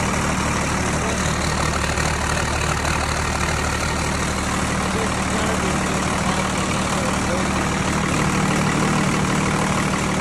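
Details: Tucker Sno-Cat with 5.9 Cummins 12-valve diesel, sat over a month after stalling and would only crank (fuel pickup screen suspected), now started: even low clatter settles at about three beats a second on all cylinders; normal idle.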